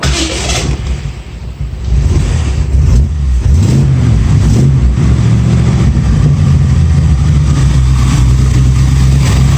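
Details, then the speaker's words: 1965 Ford Mustang 289 V8, 4-speed, performance cam, new 2bbl carb; owner suspects vacuum/air leaks and an oversized cam: deep, uneven, lopey surging rumble held above idle, would stall if let down; rough running, will not idle. "here it's a pretty good sized cam in there of course it's doing whatever it's doing running out of gas but we'll see"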